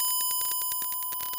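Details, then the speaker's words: Guitar wireless test with test tone from Reaper (Line 6, Joyo JW03 2.4 GHz, Lekato 5.8 units): steady high tone broken by sharp clicks about ten per second; clicking on wireless audio, owner suspects interference from nearby computer. "So that could be interference. You know, there's a computer nearby. There's a lot of stuff that could be causing this interference, but I can't have this interference."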